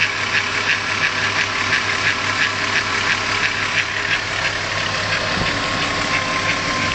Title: suite bruit moteur vr6